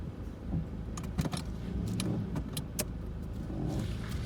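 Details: 2004 Toyota RAV4 S driving slowly: light metallic rattling that comes and goes, creaking when turning right and braking at low speed. The cause was a loose heat shield; it was removed and the noise was fixed.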